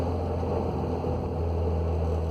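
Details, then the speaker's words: Audi B6 A4 6-speed manual, APR Stage 1+ tune, Stage 2 clutch with lightweight single-mass flywheel, coasting off throttle: steady whirring drone over road noise plus clutch-pedal squeak; transmission noise, car parked until transmission removed. "Has started making a weird noise, so I'm just recording this so you can hear what's going on. It's like a whirring off throttle."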